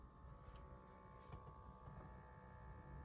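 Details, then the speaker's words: Jaguar XKR X150 parked in standby at about 2,128 miles: faint steady high whirring hum from the cabin-temperature motorized aspirator, which was only cleaned, not replaced. It runs noisily in standby. "I was gonna get the motorized aspirator changed, but they ran out of time or motivation, so they just cleaned it out and put it in. You can hear it going off."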